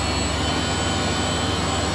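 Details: Refrigerated pneumatic air dryer running after copper leak repaired with coupling, liquid line drier replaced, recharged with R134A and condenser cleaned; dew point 32 degrees, 100 psi air in; even constant hum, low drone, faint high whine, no rattles, normal running.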